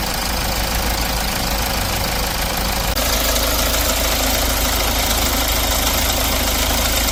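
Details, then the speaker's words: R-engine diesel after timing chain set replacement, where the chain had been badly stretched and noisy: steady idle with an even, ordinary clatter and no chain rattle or slap. Normal after the repair. "교환 후 다시 확인합니다 정상"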